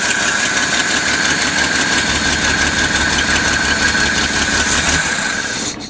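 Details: 1972 Datsun 240Z, long-stored, first revival after starter replacement and fuel poured in: loud, uneven rasping run with lumpy beat and steady high hiss, some cylinders not firing, some blowby, no throttle linkage yet; misfire, cause suspected, not confirmed.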